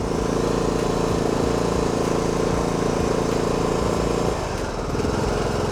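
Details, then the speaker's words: Dirty used riding mower just picked up, with fuel and oil in it. A steady, even single-cylinder thrum at constant speed with no knocks or misses; it fires right up and runs fantastic. The brake does nothing and there is no deck belt. "Well, first impressions, it fires right up. It runs fantastic."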